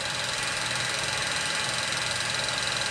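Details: 1934 Bell & Howell Filmo Model 57 projector, an auction find, projecting old film: an even, fast mechanical flutter over a steady whir with a faint high whine. Running smoothly.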